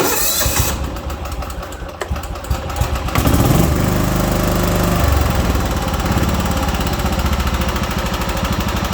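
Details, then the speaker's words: John Deere 240 after a carburetor clean, idle mixture screw adjusted in quarter turns: cranks, catches after about three seconds and settles into a lumpy, uneven beat. Still cold and lean and wants choke. "that sounds pretty good to me foreign still wants choke"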